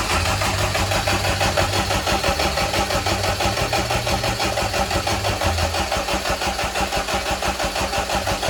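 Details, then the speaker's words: Fully built B18 non-VTEC AWD Honda Integra, first start: steady rhythmic starter churn, about one and a half compressions a second, never catching. Cranked to build oil pressure, normally 15–30 seconds. "So, we were just cranking it over to get oil pressure. Um, you normally crank it for 15 seconds at a time."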